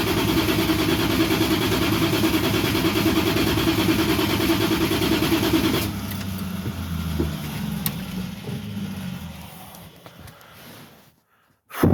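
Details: Van that sat for about two months, fresh fuel added: starter turns the engine about three times a second without catching, then winds down. Cranks but no start; spark or fuel not yet determined.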